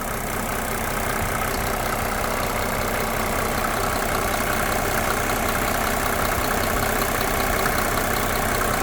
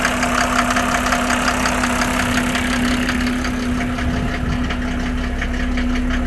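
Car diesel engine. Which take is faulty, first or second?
second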